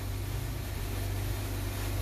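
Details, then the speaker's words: 2016 Jeep Wrangler Unlimited V6, check engine light, code P0301 cylinder one misfire, new plugs reportedly fitted, shop suspected low compression: low, mostly steady idle with occasional stumble where one cylinder misses. "it is misfiring right there i guess the guy put new plugs in it i was told so that's all the store i got but it is misfiring like and i can hear it misfire once in a while"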